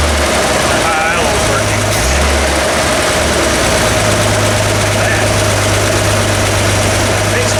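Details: Vintage Toyota Land Cruiser six-cylinder (stated as 1979 or 1972) after adjusting the Weber carburetor idle mixture screws: steady, low idle hum with an even beat and no stumbling, running on all six cylinders. Oil pressure is excellent, and the throttle return spring is poor.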